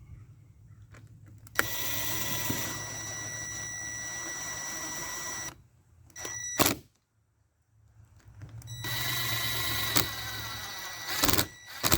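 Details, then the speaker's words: Ryobi P516 reciprocating saw, functionality test during reassembly after housing replacement and bearing reseat: two steady high-pitched motor runs with a brief blip between, even, no knocks or grinding: normal running. "I always like to do a little functionality test before I completely put everything back together yep sounds good"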